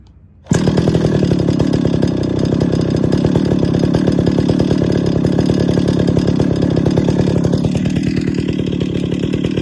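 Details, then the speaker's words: Stihl 031 AV Super chainsaw, about 50 years old, first start after a full rebuild with new bearings and seals: it fires on the pull and settles into a low, steady two-stroke idle with no hunting or stalling. "sounds perfect to me really nice low idle"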